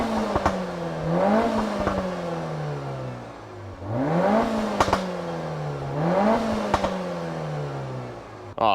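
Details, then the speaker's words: Peugeot 308 GTi THP (Prince) turbo engine after a PCV diaphragm oil-leak fix with a catch can fitted. Clean throttle blips rising and falling smoothly from idle, crisp pickup and even return, no misfire or rattle; normal free revving. "Yeah, sounds phenomenal. Give it a few revs. She's a bit dirty."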